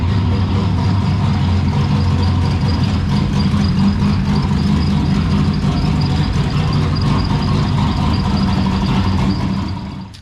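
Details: Ecotec V6 turbo drift car with a T76 turbo, idling: a loud, deep, slightly uneven loping idle that stays steady with no knock, from an aggressive cam. Healthy lumpy cam idle.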